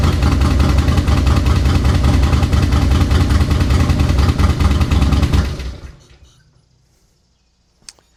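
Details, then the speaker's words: 2004 Harley-Davidson Road King, 88 ci Twin Cam V-twin, unused about 5–6 years, no primary fluid and derby cover open; fires and runs with a lumpy, loping beat of about two and a half pulses a second, then shuts off. "I'm him. Two Crossy Road Kings started today."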